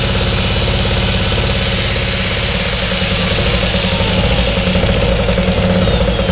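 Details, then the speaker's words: Wolf 950 small generator from a job lot, first run after fuel on and choke set, nothing plugged in: busy two-stroke buzz with a slight rise and fall in speed every second or so. Mild engine hunting at no load, said to be typical of these. "it's got a little bit of a hunt to it a little tiny bit of a hunt to it nothing massive but these do they do tend to hunt when they're not under load"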